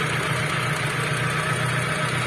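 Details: After the starter motor was lubricated to cure a rough noise caused by dry starter parts, the engine idles smoothly and evenly with a steady low hum and no grinding from the starter after startup.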